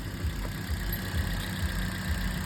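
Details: Toyota Vios with 1NZ engine at idle: a low, rough idle with a heavy thump lurching about twice a second, uneven and stumbling; multiple-cylinder misfire.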